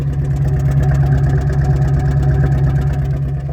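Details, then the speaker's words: 1979 Rolls-Royce Shadow about 30 seconds after a cold start: deep, even idle with a soft rumble and a few faint pops; a suspected exhaust leak was ruled out, it is just a very big exhaust. "there might be a little leak in the exhaust because uh you can hear a bit of pops but that could also just be it's a cold start right now so it's running a bit rich"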